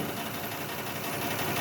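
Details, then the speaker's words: 2006 Lexus ES330 at idle with cylinder 5 dead from an injector stuck closed, after tapping on the injector: low, uneven idle with a faint ticking; slight improvement but still misfiring, injector cleaning next. "There appears to be a slight improvement, but it's probably not enough because it still appears to be missing."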